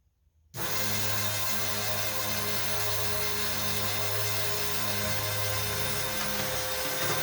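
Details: Cheap Amazon external electric fuel pump used as 55-gallon drum E85 transfer pump, pumping fuel: kicks on and settles into steady loud electric hum with hissy top, even and unchanging; noisy but normal.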